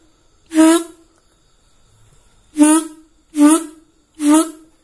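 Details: Yamaha RX-King reed valve blown through by hand with the other side sealed tightly: four short, clean trumpet-like hoots, each a steady tone, so this side seals properly.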